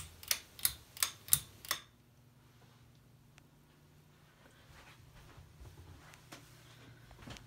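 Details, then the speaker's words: Canarm Mystic ceiling fan on low speed: five sharp, evenly spaced clicks about three a second, then soft fan hum; clicking is new, cause unknown, owner wonders if it needs oiling. "I don't know why it's making that noise but if anybody knows how I can get rid of that noise please let me know"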